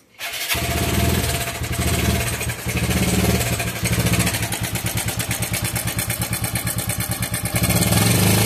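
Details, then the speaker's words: TVS Apache RTR 4V motorcycle, engine oil only 400 ml of 1200 ml because it is burning oil: starts up, then fast metallic chatter over the idle about three beats a second; timing chain rattle. "তো আপনারাই শুনলেন বাইকটির engine থেকে কি পরিমাণে bad noise আসতেছে।"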